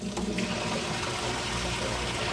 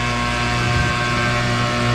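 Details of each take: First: Used top-load washer on the normal cycle, switching from hot to warm while testing the inlet valves: steady rushing gush of water with no hiss, chatter or sputter. Valves fill normally; pressure switch later found bad, overfilling. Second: GE top-load washer pumping out water: loud, steady droning hum with a rough buzzing edge from the drain pump, which is bad and needs replacing; everything else okay.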